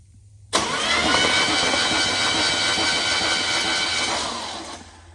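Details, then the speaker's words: Free abandoned Pontiac 350 V8, battery and homemade button wired to the starter: starter whirs in hard and spins the engine evenly with a steady pulse; engine turns freely without binding. "I got my button hooked up to the starter, all that stuff. Don't judge my button here. I've ruined so many of those store-bought buttons, so I just ended up making one. So here we go. Let's see if this thing will crank."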